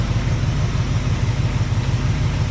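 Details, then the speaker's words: Cadillac 390 V8 with a swapped-in Edelbrock carb replacing the 4GC, glitter in oil, warming up with idle turned way up: smooth, quiet idle, even low burble, no ticking or knocking; owner doubts a major problem; normal idle. "that motor is so quiet then I just I don't know I don't see how it could have a problem like a major problem running that smooth and"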